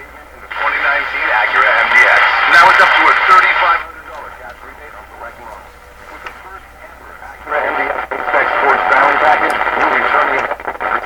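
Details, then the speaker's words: Canadian Westinghouse Model 636 five-band radio, untouched before repairs, cracked resistor noted: broadcast audio in clear bursts with quiet hiss, tuned to 640 with dial accurate; normal reception. "6:40 the dial is bang-on I can't believe this bang we're listening to 6:40"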